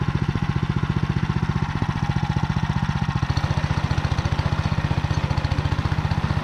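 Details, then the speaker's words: Motor Sich rotary tiller with the Kamyansky gearbox, rebuilt after breaking with all 3 bearings replaced, milling hard ground after winter barley: steady low drone with a rapid even beat about 220 per minute, no grinding or knocking; normal gearbox running. "Потім розібрав я повністю редуктор, замінив всі 3 підшипники. Ну а зараз тест-драйв, як вона працює."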